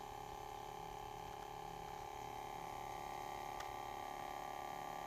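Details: Ematic DVD player making an extremely loud noise: constant mid-pitched drone, unchanged throughout, with no mechanical ticking; abnormal hum, cause not evident.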